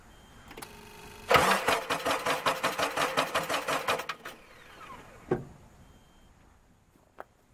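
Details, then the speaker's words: 1997 Nissan Pickup SE 2.4 with a spark tester fitted: starter churns about three turns a second for nearly three seconds but never fires; injector pulse present but no spark, traced to the distributor with its internal ignition coil giving no signal. "as you saw the injector pulse what's happening I know the computer is doing this job but we got no spark"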